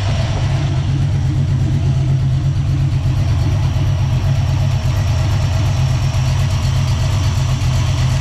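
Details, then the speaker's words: Small-block Ford 306 with GT40P heads, Anderson N41 cam and Holley double pumper, warmed up: lumpy, deep V8 idle sagging as idle mixture screws turned out about half a turn, AFR dropping from 12–13 to steady 11.5; rich idle mixture. "you can hear the idle come down too so now you can see it's consistently staying in the 11's so you can see it's consistently staying at 11 and a half so we just richened it up"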